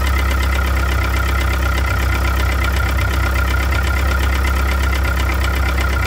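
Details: 1998 Mitsubishi DSM (Eclipse/Talon, 420A) at steady idle with a dull knock repeating a few times a second under the exhaust drone; owner suspects a rod bearing, unconfirmed.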